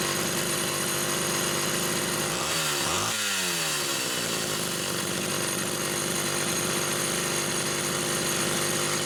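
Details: Rebuilt Homelite Super XL SDC carburetor on a test saw with a Phelon electronic coil: strong, steady high buzz with one clean throttle dip and recovery, no stumbling or surging; running healthy.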